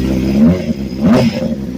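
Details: Honda CBR600RR with a new engine, quick revs: light clatter over the exhaust note, source unknown.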